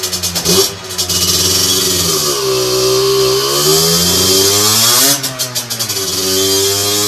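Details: Two-stroke on a dyno bench with a 17.5 mm carburettor, after setting the main jet, air mixture screw and needle: crisp throttle blips climb cleanly and instantly, no stumble or hesitation, and fall straight back to a steady idle. Normal, well-set carburetion.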